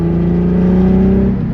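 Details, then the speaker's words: Nissan VQ35DE driven with blinking check engine light: uneven, stumbling note with choppy low pulse under light load while driving; engine misfire. "all right so as you can see is blinking I believe it's gonna stay on so I won't turn back home and get over there on the other end my car sounds like Boxster right now"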